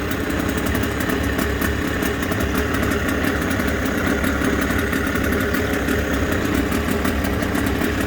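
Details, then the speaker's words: Suzuki DT6/DT8 two-stroke outboard, after fitting a Chinese walk-behind-tractor carburetor (original carb was the fault): even, crisp idle with steady buzzing rhythm, no stumbling or misfires; runs clean. "Давайте запускаем. Мотор вообще четко работать стал."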